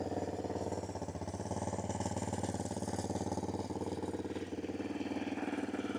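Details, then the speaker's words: 2006 Yamaha Raptor 700R ATV, single-cylinder, after cold start, apparently ridden without an air filter, cover missing; starts a little iffy and idles rough and lumpy at about four beats a second, no check engine light; owner suspects old gas. "But, like you can see there's no check engine light or anything. Starts up a little iffy. Maybe needs new gas."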